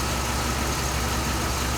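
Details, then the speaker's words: 2007 Dodge Ram 5.7 HEMI V8 just started after replacing leaking water pump, antifreeze being added, heater on to bleed air, no leaks; steady even idle with low constant rumble, no ticking or surging; healthy. "an shroud and the washer bottle deal let's fire it up and i'm gonna go ahead and start putting antifreeze in"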